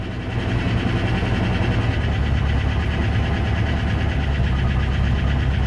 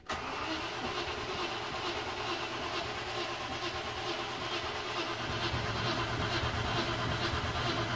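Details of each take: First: Late-1993/Jan-1994 Range Rover Classic Vogue V8 idling after reattaching earth strap: steady even low rumble, no misses or knocks; now runs properly. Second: Late-1993/Jan-1994 Range Rover Classic Vogue, cranking: steady starter churn about two beats a second for nine seconds, never fires; not flooded, mechanic suspects fueling, weak spark, ignition amplifier next.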